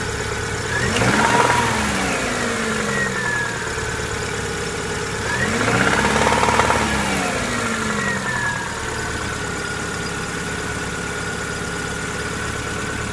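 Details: 1999 Subaru Impreza EJ22: revs rise twice and a knock under the engine note grows louder as RPM climbs; owner suspects rod knock, not confirmed.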